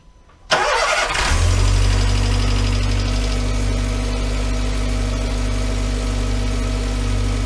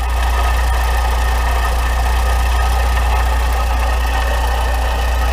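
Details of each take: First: VW Voyage with EA111 petrol engine, after replacing noisy water pump, timing belt and tensioner and correcting out-of-time timing: cranks briefly, catches and settles into a smooth, steady idle with no knocks or squeals. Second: Volkswagen Voyage with EA111 petrol engine idling, Poly-V belt and timing belt cover removed, noise persists: steady rough whir and light snoring rattle from a worn water pump bearing, 99% pump not tensioner; timing belt and tensioner replaced.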